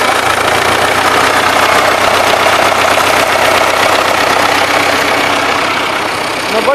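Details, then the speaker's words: DT-75M tractor diesel, about 20 hours after overhaul, high oil pressure: rough knock two or three a second at idle, less audible at high rpm; owner suspects rod bearing or piston end of rod, possibly wrong or stretched rods. "На больших оборотах так не прослушивается. А вот дальше отходишь, да, на малых, и слышно его."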